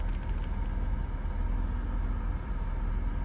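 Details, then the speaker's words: 2001 BMW 330Ci E46 5-speed, likely an M54B30 engine, at idle with the AC switched on: a smooth, even hum with a faint steady drone and no knocks or squeals as the compressor kicks on. Normal AC compressor operation. "Oh, I heard it kick on. No way. Does this thing have functioning AC?"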